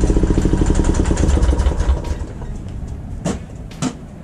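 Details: Huskee rototiller's small single-cylinder engine, being fixed after not being started for years, chugs fast and fairly even for about two seconds, then fades away; it sounds like normal running.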